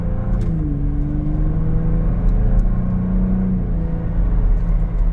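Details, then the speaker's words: 2023 Ford Bronco Raptor test drive in sport mode: engine drone climbs under throttle, then drops cleanly to a lower pitch at each upshift with no flare or thump; automatic transmission shifting smoothly. "nice and smooth. That shifts really nice."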